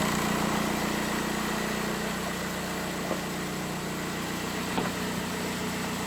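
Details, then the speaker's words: VW Beetle 1.9L diesel just after timing belt and water pump replacement: smooth, even diesel clatter at a steady idle with no knocks, ticks or whine, and no dash warning lights. The engine sounds good. "all right guys so as you guys can hear the engine is running the engine sounds good"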